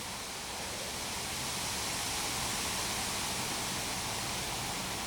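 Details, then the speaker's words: Lenovo ThinkPad T61 15-inch laptop with dead battery, on a 65 W adapter, powering on: steady, soft airy fan rush at one level, no rattle, ticking or grinding; fan running normally. "okay I plugged it in it immediately powered itself on oh then it turned off here it comes again fan sounds"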